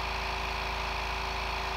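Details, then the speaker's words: New 1 hp compressor, 8-gallon steel tank, first fill, tank around 95 to 105 psi, warm air at outlet: steady even motor hum at constant pitch, no rattle or knock; compressor sounds healthy, filling quickly. "we're already up to 95 just over a hundred actually now 105 since filling up pretty quick for a one-horsepower into an 8 gallon tank"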